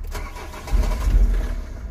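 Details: 2003 Nissan/Vauxhall/Opel 1.9, engine light flashing, engine still cold: short starter cranking burst with low churning rumble that swells then dies without running; crank no start, cause not yet found, fuel readings questioned.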